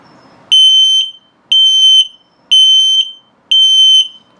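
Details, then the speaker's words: LP gas and carbon monoxide detector in a 2022 Puma 25BHFQ travel trailer during its test; slow, single-tone high beeps about once a second, each roughly half a second long. This is the low battery alarm. "now if it beeps very slowly the same tone but very slowly it's telling you your battery's low so it's a low battery alarm too"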